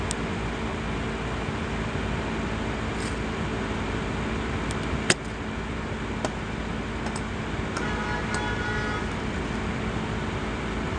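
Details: Asus laptop CPU cooling fan: steady fairly low hum with faint higher tone and light ticks; fan running loud.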